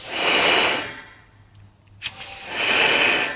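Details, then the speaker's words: Porsche 911 Turbo 997.2 boost leak test: two loud hissing bursts as both blow-off valves vent under rising test pressure; one opens earlier, so its vacuum line is reattached to help the spring. "now if you notice both of them on the same time now this side and that side are opening at the same"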